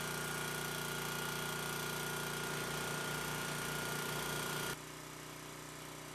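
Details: Vintage Briggs and Stratton generator with rebuilt Pulsa Jet carburetor, started cold: single cylinder fires and settles into a steady, even beat with no misses, then drops slightly in level; running healthy.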